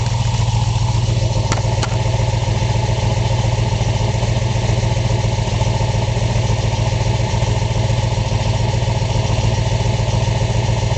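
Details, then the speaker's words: 1966 Ford Mustang K-code GT 4-speed Fastback, solid-lifter K-code V8: deep, even burble with steady lope, no knocks or misses; healthy, recently driven in 90° heat without issues. "fires right up you will hear the difference in this motor if you haven't heard a k code motor solid lifters proper exhaust tone this car is super correct phenomenal condition"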